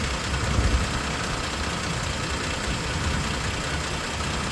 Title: Tacoma clicking sound